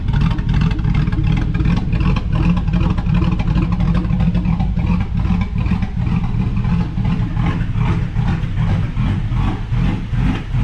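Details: 2005/2006 GMC Sierra 5.3 LS after a suspected broken lifter, fixed with a BTR Truck Norris cam and LS7 lifters, not yet tuned: lumpy, choppy cam lope about twice a second with no ticking lifters. Normal revving.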